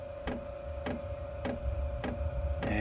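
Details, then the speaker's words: Cheap Chinese diesel air heater in a shed, unit on the floor; sharp ticks about every 0.6 seconds over a steady fan hum, then a soft roar joins in; fuel pump pulsing normally and burner ignited. "it's actually ignited I don't know if you can hear it but I can hear it that it's burning now"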